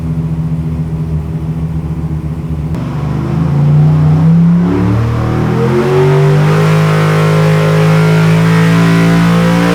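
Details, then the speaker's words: Ex-NASCAR V8 on a dyno for a 1955 Chevy, after fixing a closed-up plug: smooth crisp full-load pull above 8,000 rpm on all eight cylinders, no misfires; made 811 horsepower. "that's more like it I think sounds good boys pry that's better that's better that's better than 8,000 so it's still going she climbed good that time it climbed good 811 811 that's what I'm talking about 811 horsepower"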